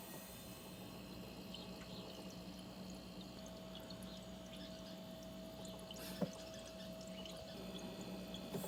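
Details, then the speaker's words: Kenmore Elite 24-bottle dual-zone wine fridge that was not cooling, being recharged with refrigerant, low-side gauge attached, target about 90 PSI. After the compressor shuts off, quiet trickling, bubbling and soft drips; normal refrigerant gurgling. The fridge then cooled properly. "when you shut off the compressor you hear the bubbles like falling down or something"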